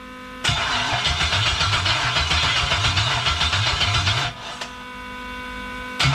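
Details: 1977 Pontiac Trans Am with a 5.3 LS swap from a 2001 Tahoe, fuel pump running, first fire-up attempt: the starter cranks steadily about four turns a second for nearly four seconds without catching; owner suspects the computer is not getting power.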